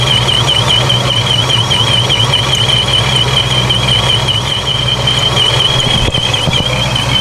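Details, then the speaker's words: Dodge Charger Scat Pack with 426 engine and ProCharger, after fixing a boost leak that had limited boost to about 2 psi: loud steady idle under a high, slightly wavering supercharger whine, smooth low rumble, no misses or knocks. "I'm gonna fire it up again and let it idle for a moment and then um try to make sure it's making boost"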